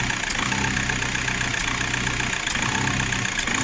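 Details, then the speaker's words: VW Golf 4 diesel at idle with a stumbling, uneven beat, uneven dips as the intake shutoff flap intermittently closes; injectors and filter were fine, and the flap's vacuum tube was found pulling. "شفتوها كيفاش كدير بحال كل قطيع ياك. دابا راه كديرها بزاف"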